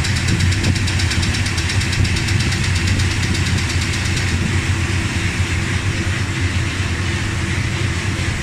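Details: Dodge Ramcharger V8 idling after replacing pushrods, rockers and rocker shaft (oiled before start): steady, even low rumble with no top-end ticking; the tick is gone, valvetrain healthy.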